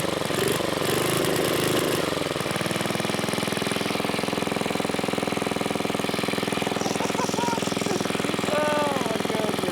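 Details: 1980s Onan generator after carburetor cleaned with carb cleaner, started on choke: rough start then even steady beat with no misses or hunting; it was just clogged, kill switch works.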